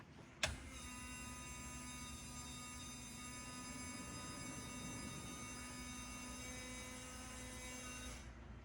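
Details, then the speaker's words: MKV Toyota Supra interchiller coolant valve actuator, switched via buck boost converter: small motor whirs steadily at high pitch about eight seconds then stops cleanly; valve actuates properly, routing coolant to front mount heat exchanger. "And then it actuates by my buck boost converter switch. So I'll flip this switch and you can hear it."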